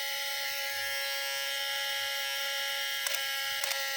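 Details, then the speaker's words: Sony A7 III camera on power-up: a continuous high, razor-like buzz with a few faint clicks near the end; the fault is in the in-body image stabilizer (IBIS). "Nah, kalau kayak gini biasanya ini dibis atau stabilizernya ya. Berisik banget suaranya. Kayak kemasukan orong-orong."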